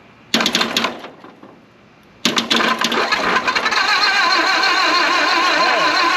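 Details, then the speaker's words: 1929 Ford Model A Doodlebug after years sitting, cranking with timing thought to be still off: starter grinds in a short burst, cuts out, catches again and churns unevenly; 6-volt starter solenoid failed, likely from running 12 volts into it, later replaced. "way solenoid is toast all right well that could be because we ran 12 volts into it"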